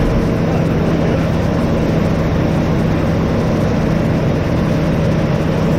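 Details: 1988 Chevrolet S10 Sport ZQ8, sitting since 1994, after new fuel pump, tank, sending unit, hoses, rebuilt throttle body, cap, rotor, plugs and wires: steady even low drone with no misses, knocks or surges; runs and settles into a clean idle.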